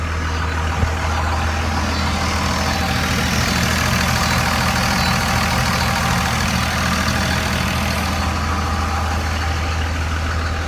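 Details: 2001 Dodge Ram 24-valve Cummins diesel after draining bad neighborhood-station fuel that caused surging and stalling: now an even, steady idle with no hunting or surging.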